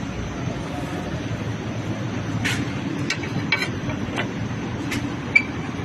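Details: Hyundai HB20 driving over bumps: sharp irregular clunks over road and engine noise from a worn front ball joint knocking; fixed by replacing the control arm.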